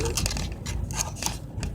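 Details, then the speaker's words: Irregular light plastic clicks and rattles over rough road rumble, following the bumps on a Central Texas county road; the loose phone holder is chattering in its mount, and the driver can't stop it. "you know that noise you hear that rattling thing that clicking that's the holder doing that and I can't figure out how to stop it"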